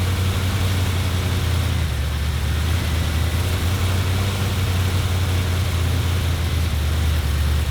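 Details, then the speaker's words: 1977 Ford F-250 460 V8, first start after 19 years and an engine fire. Deep, steady rumble that runs flat and lumpy. It runs only with the distributor turned to its limit: ignition timing off, may need retiming. "Sounded good for a second. I had to shut it off cuz the distributor's pretty much pegged all the way to one side to get it to run. I might have to rettime it a little bit so it runs better."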